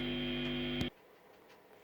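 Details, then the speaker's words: Behringer V-Amp Pro, loud steady mains hum that disappears when a guitar jack is inserted and returns when removed; input jack switch failing to ground the ungrounded input, also microphonic at guitar level. "so now what I've done is I've taken a guitar jack and I've inserted it in there and all that hum is gone when I pull it out well it's back"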